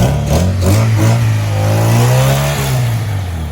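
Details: 1994 Honda Accord after all distributor seals were replaced: quick blips climb cleanly and settle into a smooth, steady low idle with no misses or rattles. Engine runs healthy.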